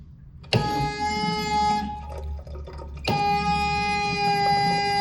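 Loud steady horn-like tone blares during the flush, cuts out briefly, then returns over running water; the flush valve is singing.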